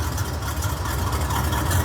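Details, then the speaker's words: 1968 Camaro RS/SS V8 with an old-school cam, idling while still warming up: a deep, uneven lope with occasional stumbles. One cylinder is half-missing, still partly firing. "So, I don't think this was a dead miss. I like to call this a a half miss because it was still heating up. It's still firing a little"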